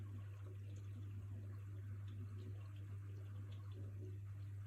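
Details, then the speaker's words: New Miele G7392SCVi dishwasher with AutoDos, first Auto programme run after installation: soft steady rush of water over a constant low mains hum, no knocking or hammering; filling normally. "And we'll close it and see what happens. Right, so that's filling up."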